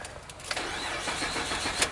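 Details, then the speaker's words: 2006 Mitsubishi Galant 3.8L V6, crank no-start with scanner getting no communication from any module: starter spins the engine with a steady quick churn but it never fires. "customer complaint is doesn't run it's a crank no start"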